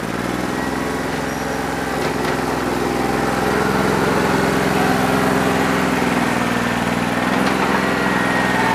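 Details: New Holland 1320 diesel tractor with a bad injector, running on about 2¼–2.5 cylinders, still rough after 3 hours of loader work when hot: rough, uneven chugging, one cylinder not pulling its weight; misfire, owner thinks it needs an injector.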